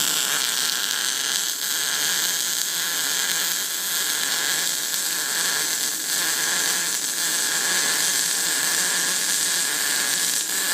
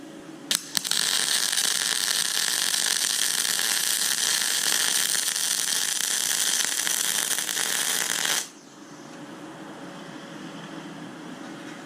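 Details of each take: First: YesWelder Firstess MP200 MIG welder at 120 amps on a welding table build; steady loud frying hiss with faint irregular crackle, running cold and leaving a crowned bead; cold MIG weld. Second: YesWelder Firstess MP200 MIG welding maxed at 200 amps and full voltage, without independent wire-speed control: about eight seconds of steady, even frying crackle with no pops, a hot, stable arc.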